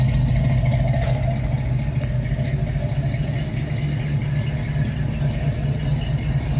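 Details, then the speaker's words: 1981 Pontiac Trans Am V8 at idle after repairs: a deep, even exhaust burble with no misses or ticks; normal idle. "Sounding good, she's looking good. So we're gonna go for a little test drive."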